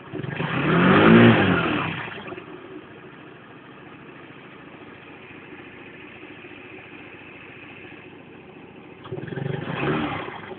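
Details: Engine that won't rev up at full throttle: two throttle blips with a light, high-pitched tapping tick over a quiet idle at low rpm and when accelerating from low rpm; revs climb sluggishly, source of the tick unclear.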